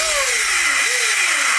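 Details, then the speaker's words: Traxxas Sledge RC car before motor-bearing service: a harsh coffee-grinder rasp over a falling motor whine, with shaft play; worn motor bearings, fixed with bearing kit 3483R. "If your motor sounds like a coffee grinder, it's definitely time for a service. Traxxas offers a service kit for the motor bearings to fix that issue."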